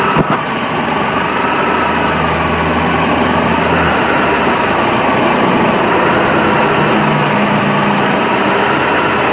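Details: BMW E46 318 with 1998 M43 1.9 engine: a steady idle with an uneven, lumpy beat about four times a second that never settles. The rough idle comes and goes for days and got worse after alternator rework; owner suspects something was disturbed then.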